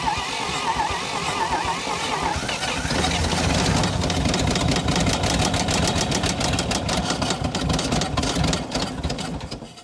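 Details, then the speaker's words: 1952 Dodge Power Wagon engine, buried to the axles and not run for about 16 years, first start attempt on a temporary boat fuel tank: catches and runs unevenly, stumbling, with loose knocking through a rough idle before dying; running badly and knocking. "Oh, come on. Come on. We're so close. This sounds so bad."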